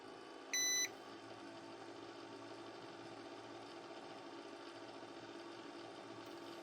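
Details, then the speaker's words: Mustek PowerMust 530 Plus UPS, closed case with battery inside, upgraded with an added used cooler: one short beep, then soft steady fan rush with faint hum as the cooler is switched on; runs normally, cooling confirmed by thermocouple. "It is clear that the difference is significant and you can hear the cooler turning, spinning, but the cooling really works in this case."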